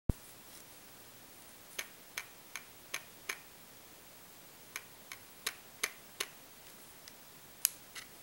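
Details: Olympus OM-D E-M1 camera, new, powered off, shaken up and down: sharp light clicks in bunches; loose internal clatter, owner wonders whether the 5-axis stabilizer is normal or an initial defect.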